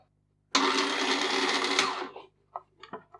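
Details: Slush Puppie machine that would not spin, test-run during reassembly after a screw was refitted. About a second and a half of steady, even motor whir that spins down cleanly without grinding or clicking; the gear drive turns normally.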